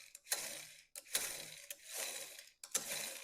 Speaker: I'll back it off. Make it loose. Listen to the sound.